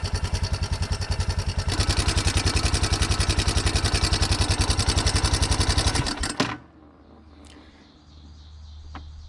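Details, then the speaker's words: 1987 Yamaha Big Bear 350 4x4 quad after fixing a no-spark fault: quick steady ticking at the top end over idle until shutdown; owner suspects valves smacking, not sure. "there's ticking going on up here could be valves smacking i don't know"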